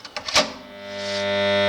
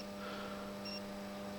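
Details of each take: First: Mains-powered 40 A magnetic starter/contactor: a few sharp clicks, then loud steady buzz; intermittently louder, blamed on dirty magnet core faces, to be cleaned and compared afterward. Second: Magnetic contactor (40 A) after cleaning: soft, steady low hum with no rattling or buzzing chatter, about ten times quieter than the loud hum before cleaning; normal contactor sound.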